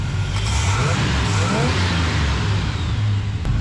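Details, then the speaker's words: 1976 GMC carbureted V8 after retarding timing that was too far advanced and turning the carburetor idle down: deep, steady, even strong lope with no knocks or misses; idling good, sounds powerful. "She's idling good. It was a little revved up, so I had to idle it down on the carburetor."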